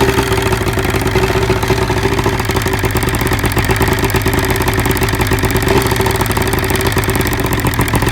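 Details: 1975 Evinrude 70HP outboard: rough uneven idle with a dropped, stumbling beat; cylinder #1 misfiring as spark arcs down the plug porcelain, fixed by cleaning boot carbon, new plug and grease.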